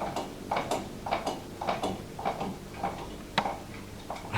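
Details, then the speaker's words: GMC 56-inch industrial ceiling fan, unrepaired, coasting down after switch-off: slow, slightly uneven clicks about twice a second; visible wobble rattling the fan. "Oh, berisik sekali. Kurang lebih seperti itu . Anda bisa melihat goyangannya, kan?"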